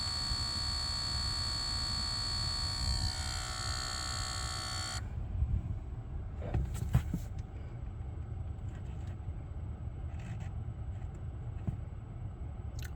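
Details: Lucid car: steady high electrical buzz with whine, not cleared by switching profiles or the first reset, cuts out abruptly after a logo reset, leaving quiet cabin sounds; cause unknown.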